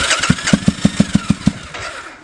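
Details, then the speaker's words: 2005 Triumph Bonneville America, first start after sitting seven years, on choke: uneven, lumpy pops about six a second that then fade, sounding like it's firing on one cylinder; misfire, cause unconfirmed. "almost sounds like it's hitting that one [Music] cylinder"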